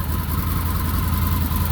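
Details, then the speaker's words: Idle of a 2020 Can-Am Defender Limited Max cab at startup. A low, steady, even idle with no knocks or misses. The owner seems to compare its quietness with last year's model. Normal, healthy idle. "engine Tim and just wait a second clicks over here's the motor running"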